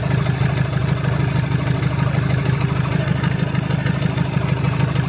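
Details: 1975 Land Rover Series 3 109" Perkins 4.203 diesel after head gasket replacement and valve job: low even clatter at steady idle, about two beats a second, no misses or knocks; healthy.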